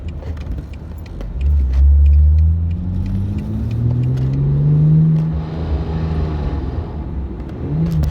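Low rumbling engine revs up and settles back with an uneven, droning undertone; some odd noise is present, but its source is unclear.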